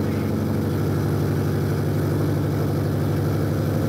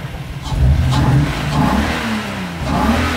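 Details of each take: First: Toyota Supra manual/turbo conversion, first start with no exhaust fitted: loud, raw, open-pipe idle with steady even beat, some smoke, timing/distributor still loose but sounds good; loud running with no exhaust fitted. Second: Toyota Supra with manual/turbo conversion, first start with no exhaust fitted: loud engine climbs cleanly through sharp revs and drops back smoothly, no misses or knocks; healthy running.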